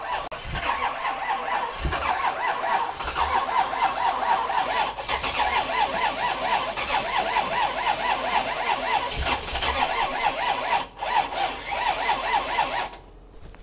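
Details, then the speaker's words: 430 hp 383 C10, fuel pump mounted above tank losing prime, battery jumped: repeated cranking with uneven sputters and brief catches that never settle; hard starting. "i'm surprised at how much trouble it's having starting"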